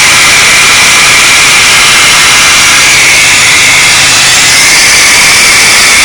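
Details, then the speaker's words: GM 3800 Series II supercharged engine at idle with a loud, steady rushing-air hiss over little low rumble, new noise coming from below the ignition area; a leak was seen while filming. "So this is the new noise that it's making, and I'm hoping someone can tell me what it is. And it's coming from right below there where the ignition is."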